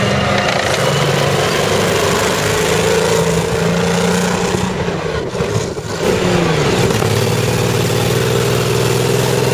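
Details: FV102 Striker (CVR(T)) tank engine idling roughly with irregular stumbling beats and dips in revs, misfiring badly, recorded August 2010; the cause was a stuck valve, and a spare engine was fitted over winter 2010/11.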